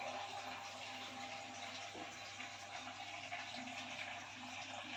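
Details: IFB front-load washing machine after the drum noise repair (new drum bracket fitted): steady water swish and hiss with a soft pump hum, no knocking or drum scraping; running normally.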